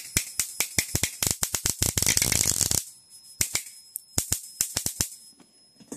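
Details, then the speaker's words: Homemade high-voltage bifilar transformer passing a 110V 60Hz high-current pulse through a spark gap, voltage raised: crackling bursts thickening into a dense buzzing chirp then scattered pops, arc surging intermittently; cause unknown. "Yeah, see it's starting to make that weird noise again. Oh yeah, see you can hear it kick. Like it's putting a lot of power through that arc every once in a while."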